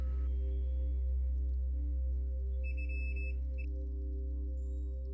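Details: New PS4 HDMI port tested with a multimeter before fitting, after earlier traces failed and gave a black screen; a single clean high beep holds about a second over a low hum. Continuity is good and the pin connects properly.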